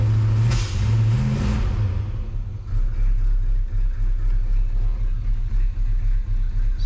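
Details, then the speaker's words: 1977 Dodge Charger Daytona, barn-stored since 1992, fresh carburetor: low, lumpy idle with an uneven pulse about four times a second; likely needs plugs, wires, cap and rotor. "where it sits at while she idles also it's got got a low fuel light definitely sounds like she could use a a tuneup"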